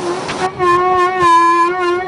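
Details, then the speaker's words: Chevrolet Cruze braking in reverse: a steady, low, moaning hum-like groan. The owner says a grinding first appeared when braking, grew louder and turned into a hum, heard every time the car reverses. Brake groan; cause not confirmed. "Этот звук для водителей «Шевроле Круз» уже стал привычным, как предупреждающий сигнал. Его слышно каждый раз, когда машина едет задним ходом."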